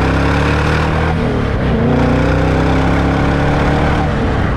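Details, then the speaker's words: Supercharged C5 Corvette accelerating hard; strong, smooth pull with engine note rising steadily under load, no whine, howl or clunks; transaxle smooth, motor very powerful; healthy acceleration. "the transaxle is smooth and the motor that's the most surprising thing the motor is powerful I mean really powerful"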